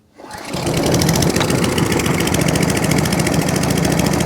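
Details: Atco Balmoral 14S mower, started with a bit of choke: catches quickly and settles into a steady, even rapid firing beat with no misses or knocks; running healthily (drive grunchy, pinion gear suspected).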